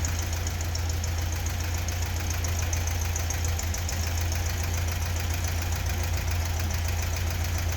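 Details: 1976/1977 VW Beetle fuel-injected air-cooled engine, first start after a top-end rebuild fixing loose head bolts, missing cooling tins and seized rings: even, steady idle with light normal valve chatter, no smoke, knocks or misses.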